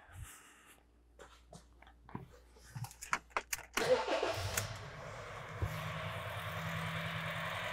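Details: 2013 Honda Fit 1.5L, code P0303/P0203: engine cranks, catches, settles into lumpy idle with steady skipping beat; noid light shows cylinder 3 injector not being fired; dead cylinder misfire at idle.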